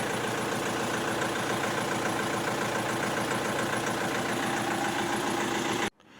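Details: Opel Astra H 1.7 CDTI diesel: misfiring, hunting idle, blinking glow-plug lamp, codes P0301-04, P0400, P0683. Uneven, lumpy idle shake with a faint irregular knock before cutting off; rough idle traced to a faulty engine control unit, later replaced.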